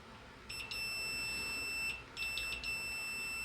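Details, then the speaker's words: Fan motor thermal fuse, removed from the windings, tested with multimeter: two steady high beeps about 1.5 s each showing continuity; fuse working correctly. Fuse melts its metal pellet to cut power when the winding overheats. "This is how you test what a fuse is that is working correctly"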